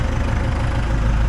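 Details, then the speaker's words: MTZ-82 tractor diesel started fully cold with a new warranty-replacement 4 kW gear-reduction starter; battery 12.3 V dropping to 10–11 V while cranking. Owner finds an unusual whine at start; it then settles into an even, clean idle. Normal cold idle. "вот только как-то непривычно такой звук при пуске вроде воет"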